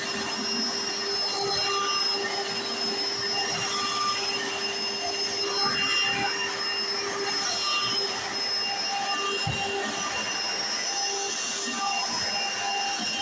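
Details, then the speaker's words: 1995 Hoover Encore Supreme U4261-930 upright vacuum, barely used, bought used in great condition: steady high-pitched motor whine with even brush roll whirr, no surging or rattles; owner says it sounds perfect, brush roll like a Singer vacuum; normal running. "well I want to say is the bush wall in this one sounds a lot like a an a late 90s early 2000s singer abysal abysal singer style vacuum which is really strange"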